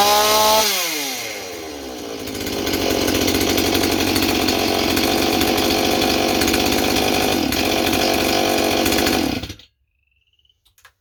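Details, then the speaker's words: Stihl 028 chainsaw with blowback, new clutch-side crankshaft seal fitted and leak tests passed. Revs fast and holds a high screaming pitch with slight surge, wanting to run away while spitting fuel out of the system; cause suspected, not confirmed. "I know it sounds like his saw is running good it's not it's bet all kinds of fuel out of the uh out of the system here"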